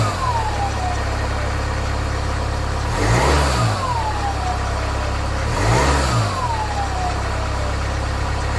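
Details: 2020 Jaguar F-Pace 180 diesel on cold start, two short revs each followed by a clear whistle sliding down in pitch as revs fall; loud turbo whistle when cold, cause suspected not confirmed.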